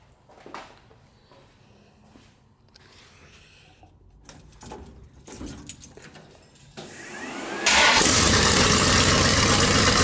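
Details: Rat rod small-block Chevy 350 after turbo cam swap, engine reinstalled: rattling and handling noises, then it catches and settles into a steady, crisper idle with no knocks; normal start and idle.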